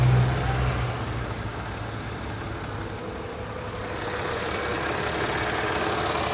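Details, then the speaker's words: Mercedes M112 engine at idle: steady rumble with a dull, irregular low knock about three to four a second, a duller sound rather than a ticking one, origin unknown; engine knock at idle. "какой-то непонятный тарахтящий звук."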